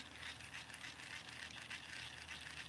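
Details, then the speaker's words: Micro Monster baitcasting reel after gears were cleaned with toothbrush and soap and re-oiled; spool turns with a soft, even hiss, no grinding, ticking or scraping; spool bearings fine and quiet. "the thing is it's not anything into the spool the spool bearings oh that's fine and quiet"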